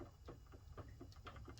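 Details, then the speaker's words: Suzuki SV650 with the front wheel lifted, front end rocked fore and aft, gives light dull clunks about four a second; steering head bearings loose or worn, likely just loose since there is no notchiness, needing retightening. "you can hear that knock. And that tells me that the steering head bearings are either worn or just loose."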